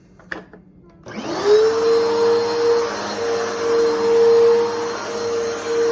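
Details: Bissell Powerforce Helix 2191 upright vacuum test run; motor spins up in a second to a steady piercing high whine over the airflow rush, sounding strained.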